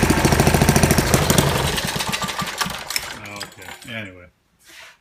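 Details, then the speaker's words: 1940 Briggs and Stratton WMB single-cylinder engine, cold, not warmed up, needing more choke: quick even firing beat around 200 pulses a minute, then dies away; runs pretty good. "It needed a little bit more choke, but anyway, it actually runs pretty good."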